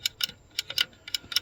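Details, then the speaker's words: RV furnace that blows but won't ignite, sail switch cover removed: crisp bright clicks in quick pairs as the plunger is pushed and released; switch may be fine but debris wedged in it stops it closing. "okay so there she be so yeah you could see there's your little plunger so when the saell switch is made you hear it"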